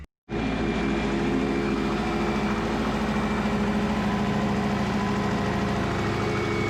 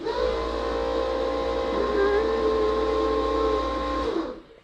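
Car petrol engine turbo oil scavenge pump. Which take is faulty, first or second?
second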